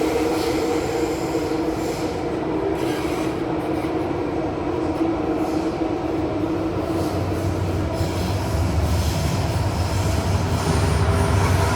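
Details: Kawasaki/CRRC CT251 metro train, set 2034, running Upper Thomson to Mayflower; steady rumble at speed with a thin squeal over it; wheel-on-rail squeak, cause not pinned down.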